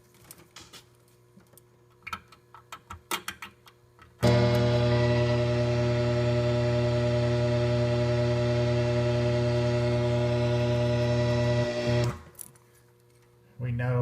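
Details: Monopoly pinball machine, grounds checked: loud steady gritty low buzz from the speakers at power-up holding about eight seconds; speaker buzz, cause not yet found, DIP switches unverified.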